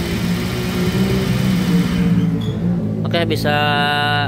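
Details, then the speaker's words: Honda Vario 125 scooter, engine idling: a deep, uneven, rough rumble, typically caused by a worn crankshaft bearing on the left side (facing forward); the engine is split open. "ya untuk suara motornya jadi suara motornya bergemuruh nah ini biasanya disebabkan oleh bearinguk as khususnya bagian sebel seb sini ya sebelah kiri"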